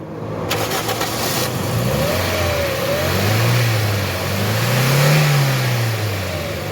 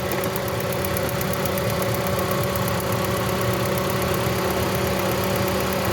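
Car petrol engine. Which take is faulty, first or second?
second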